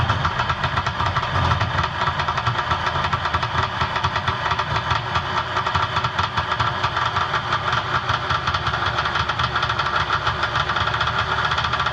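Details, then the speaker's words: Personal watercraft two-stroke with Mikuni carb: buzzy idle running fast and even with a crisp rapid beat as the low-speed mixture screw is turned in until the idle rises. "We're going to fire it up and I'm going to bring it in until the idle starts to raise, and then I'm going to back it off."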